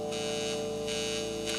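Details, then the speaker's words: Vintage Teisco Check Mate 10 solid-state guitar amp, revived after a loose transistor lead was found, playing quietly. A steady, loud mains buzz with a sharp high edge sits under everything. Suspected ungrounded power cord, maybe poor input ground. "this thing needs some grounding so what I said I would love to do is I need to remove this power cord and put in a grounded power cord"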